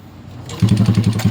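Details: Honda XRM 125 motorcycle with no oil in the engine; the no-power fault was a broken ignition switch. It starts and settles into a fast idle with a hard metallic rattle on every beat, engine clatter from lack of oil.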